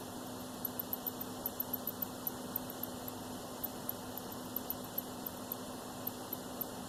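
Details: Xbox One S (2018) console: tiny high-pitched chirps, roughly three a second and slightly irregular, over a steady low console hum; intermittent squeaking the owner cannot fix.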